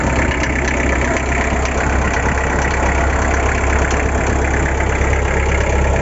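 Loud, busy engine with an uneven clatter on top at roughly three beats a second; there is an abnormal engine noise, cause unknown.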